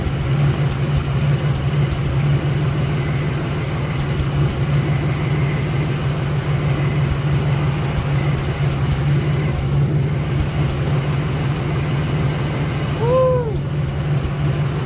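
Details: 1989 Chevrolet S10 that sat about five years in a field: first start after a TBI rebuild with new injectors, on old oil. A steady, even low idle for about fifteen seconds with no knocking or misfire; the engine runs normally.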